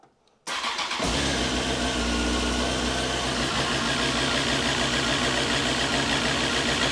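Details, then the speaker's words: Honda CBR954 Fireblade, first start after 6-month rebuild with freshly primed fuel and oil: fires after short crank, then runs rough and uneven with ragged beat; owner suspects fuel supply, adds more fuel, unconfirmed. "I think it's fuel I think I mean I put quite a lot of fuel in there but it's fuel right let's get some more juice in it"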